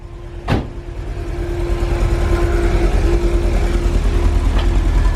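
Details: VW Vanagon engine idling just after fuel tank replacement: deep, steady rumble with a faint even hum on top, building slightly and staying smooth; healthy idle, no fuel leaks.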